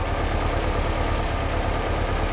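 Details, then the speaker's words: 1958 Porsche 356A T2 Zenith carburetors after balancing and lowering idle to around 900 rpm or just above; smooth, even, slightly fast idle with steady burble, no misses, balanced and healthy. "I think that sounds pretty good to me that's a it's a little bit quick in the aisle but I kind of like that it's going to respond better off the idle I think and we're nice and balanced"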